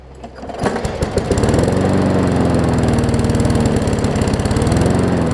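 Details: Newer Murray push mower just after new carb diaphragms: catches after a few coughs, slow even putter below working speed; runs fine but slow, throttle/governor spring (a bit too long) needs adjusting.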